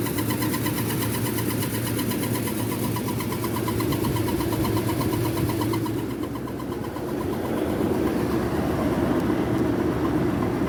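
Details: 2007 Nissan Armada: a loud, rough engine drone grows under acceleration and stops when the gas is released, then returns; the cause is unknown.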